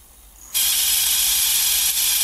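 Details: Coleco Adam data drive, which has a dirty, rusty head. It spins up into a loud, steady, high-pitched hissing whir. The squeal comes from a dry index wheel axle that needs oiling, and the owner also suspects the encoder needs cleaning.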